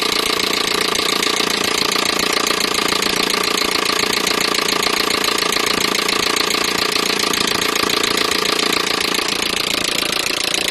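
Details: Peugeot 307 1.6 petrol engine running steadily with a fast, fairly even ticking knock about three to four per second over the hum; knocking noise, cause unknown.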